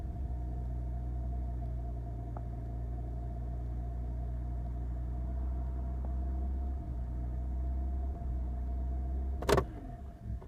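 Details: BMW E46 325i with EML, DSC and brake warning lights: low, uneven six-cylinder idle that wavers slightly before a sharp clunk; rough fluctuating idle from a faulty throttle body and two broken cables, one for the throttle and one for the accelerator pedal.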